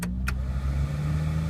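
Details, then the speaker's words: 2001 Dodge Ram Van 3500 5.9 two-wheel drive, blower previously dead on all settings, after replacing the ignition switch: steady, even low hum with no grinding or squeal; blower motor working normally. "Works very well. You can even hear it versus before. It wouldn't come on at all."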